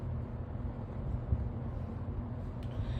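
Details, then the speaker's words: Roughly 30-year-old 20-inch Kmart box fan, auction find, first test on low: soft steady whoosh, no rattle, ticking or wobble, even airflow; running normally. "medium wow that is a jump it's running pretty good too and high"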